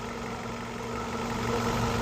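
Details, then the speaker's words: 2011 Ford Focus 2.0L four-cylinder after thermostat replacement, thermostat open, coolant being topped up: quiet steady idle, even hum, no knocks, ticks or hunting; healthy warm idle. "And you know, as you can hear, she runs very smooth. There's no tings or knocks or ticks or nothing like that."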